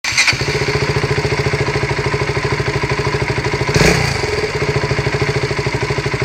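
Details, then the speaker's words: KTM Duke 200 single-cylinder at idle with a throttle blip; owner heard engine rattling, but a tinny rattle riding on the beat comes from a broken baffle loose inside the exhaust, not the engine; fix is replacing the whole exhaust. "but it's not the engine that's making that noise it's the exhaust"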